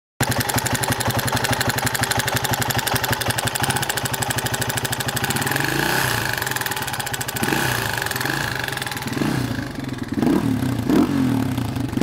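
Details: Masai A450 engine, smoking; catches and idles with a hard, rapid ticking beat, then goes rough and uneven: abnormal engine noise, cause unclear.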